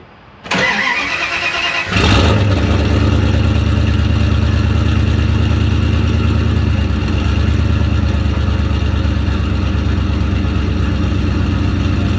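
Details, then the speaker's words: Dodge Dakota turbo truck, mid pipe fitted but no muffler, started to warm up before the muffler is installed: cranks briefly, fires up and settles into a loud, deep, raw idle pulsing about three times a second. Loud exhaust with no muffler. "We're going to fire it up. No muffler. So you guys can remember what it sounds like."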